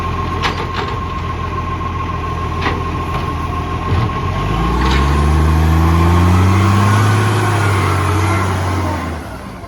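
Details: Truck engine running: a fast, even ticking puff over a low rumble. This is an exhaust leak.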